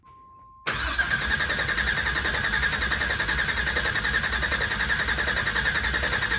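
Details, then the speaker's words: LT4 crate motor swapped into an El Camino, first fire-up after priming oil pressure by cranking with the fuel pump unplugged. It fires right up and settles into a steady, even idle: a normal start. "so you know comes time to fire it up plug in the fuel pump crank it over a little bit fires right up"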